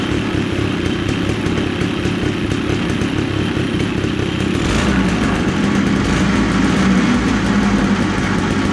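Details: 210cc two-stroke paramotor engine on a home-built drift trike, thought to be about 19 hp with expansion chamber, first start: loud raspy buzz holds steady and picks up crisply, no misses or bogging; normal healthy running.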